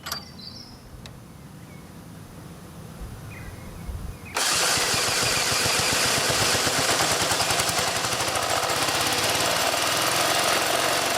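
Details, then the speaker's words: Ford Falcon AC compressor, removed, dry and overheated with Teflon bits shed, run after an 80W-90 oil shot: quiet four seconds, then loud rattly clatter about four beats a second; failing before seizing, shaft splines later found chewed off the swash plate. "overall now nothing spectacular gets hot dries out and builds up too much friction"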